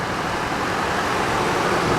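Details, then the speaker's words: After replacing a screaming idler pulley beneath the alternator (alternator was not the cause): steady smooth engine rush with no squeal; belt drive now sounds perfect. "It wasn't the alternator. It was the idler pulley right underneath of it that was screaming. So I went ahead and replaced that thing."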